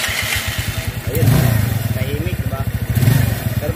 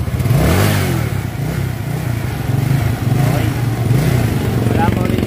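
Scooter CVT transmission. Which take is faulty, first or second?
first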